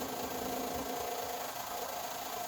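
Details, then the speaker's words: 6.0 Powerstroke with a ZF6, sat in the woods nearly a decade, run on a jump pack: a rough, uneven idle with a stumbling beat and a tinny tone. The owner suspects two or three bad injectors. "two or three injectors right now after sitting this long it's going to need some type of treatment"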